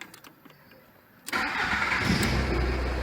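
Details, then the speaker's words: 1996–99 VW Caddy 1.9 SDI naturally aspirated diesel, immobilizer had made it start then die (fault 17978/P1570); after unlocking the Bosch 0281001407/408 ECU it fires at once and holds an even steady idle. "ξεκλειδώθηκε ο εγκέφαλος και πατάμε μύζα"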